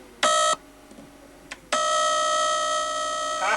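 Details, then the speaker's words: Data East DECO Cassette System arcade board set under repair: steady high electronic tone in bursts with silence between, the alarm given when the reset signal never arrives; only the sound RAM remained unchecked as a suspect. "Now I got no reset. This is what happens when the reset doesn't come."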